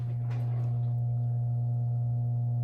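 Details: 1938 GE 12-inch oscillating fan, catalog 49X929, after base rewiring, motor bench-tested on low before blades fitted: smooth steady low hum, no ticks, rubbing or pitch wobble; motor runs quietly and evenly; normal.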